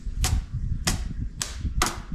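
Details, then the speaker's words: Small radial engine cranking: sharp snapping cracks about every half second over a low cranking rumble, with sparks visible and audible; ignition firing properly. "there you go I hear spark you hear Spark I mean I see Sparks well but I hear Sparks"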